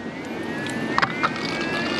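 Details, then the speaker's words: BMW E9x electric coolant pump running with the ignition on and heat at maximum to prime the system after a radiator flush: a thin steady ringing whine rises as the pump spins up, with splashes of coolant. Normal electric coolant pump running. "and you can hear the ring from the from the pump down there"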